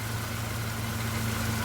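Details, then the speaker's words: Nissan Micra at idle: constant rough hum with steady whirring from the A/C compressor clutch, bearing worn out; belt, alternator and tensioner ruled out, oil added as temporary fix, new clutch needed. "Alright, it's just a temporary fix because I've managed to get some oil in there just to lubricate it, but you can hear the bearing's gone on it."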